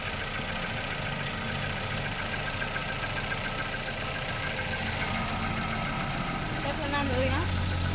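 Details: Engine with 10,500 km, cold start idle: light, fairly even tick-knock about three to four times a second; noise on cold start, cause not determined.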